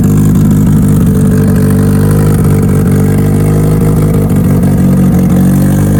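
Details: Mitsubishi Evo before dyno prep, cold engine, first start of the day after installing both fuel pumps as the fix; loud, steady cold idle with slightly lumpy low rumble, no stumbling or dying out. Normal running.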